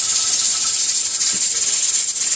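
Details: Pressure canner on a stovetop burner running too hot: continuous hard steam hiss and constant regulator rattle instead of occasional rocking, so the heat is being turned down to a low setting.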